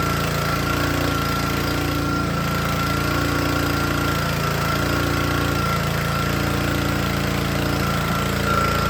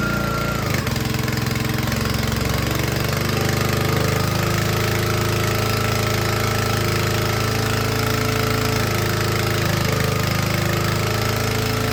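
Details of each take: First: Troy-Bilt log splitter's small single-cylinder Honda engine, wet air filter removed, runs fine unloaded but labors and sags heavily once hydraulic load comes on, wanting to stall; engine bogging under load. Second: Troy-Bilt log splitter with a small Honda engine driving the hydraulic pump, after a small pressure adjustment was backed out: engine holds a steady, even drone under load with no bogging or stalling. Running healthy.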